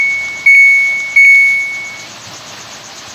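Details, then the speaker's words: Samsung automatic washing machine that won't start, on test before control board repair; on, spin selected, start pressed: two short high beeps a second apart, then silence, no motor or pump. Washer beeps but will not start, control board suspected. "So, spin lang natin. Tapos i-start. So, yun ayaw. Ayaw nyo mag-start."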